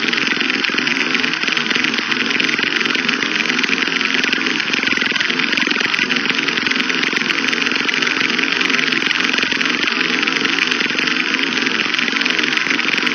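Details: Used Traxxas T-Maxx 2.5 nitro RC car: the starter whirs steadily at a high pitch with no firing pops, and slight smoke comes from the starter motor. The engine cranks but won't start.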